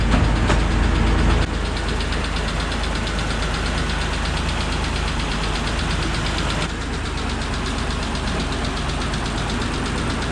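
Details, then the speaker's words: Mitsubishi 3000GT VR-4 engine at idle after sitting parked, oil relatively new, has developed a light, fast tick riding over idle at three or four per second, following engine speed; owner suspects a lifter, possibly clogging from thicker 10W-30 oil. "As you can hear, this one has now developed a ticking noise, so I think there's like a lifter in there that possibly could be the issue."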